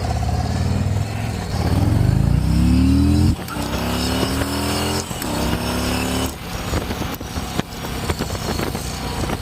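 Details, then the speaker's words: 2024 Harley-Davidson Road Glide after self-repair of the coil harness that had caused limp mode on one cylinder: strong even V-twin pull climbing smoothly through the gears, no misfire; power restored though check-engine light still on. "She's running like a champ."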